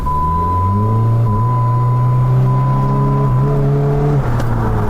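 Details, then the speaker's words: Jeep Patriot (CVT) setting crank sensor code P0339 even with two different new sensors. A steady engine drone while driving suddenly drops away near four seconds as the engine stalls. "we go, no start. Just died on me right there."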